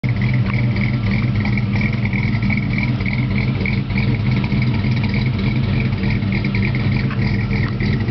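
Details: 2.8 V6 S15 with dual-outlet 40 series Delta Flow Flowmaster exhaust idling; deep exhaust burble with an irregular, lopey rhythm that surges and stumbles, rough idle, cause unclear.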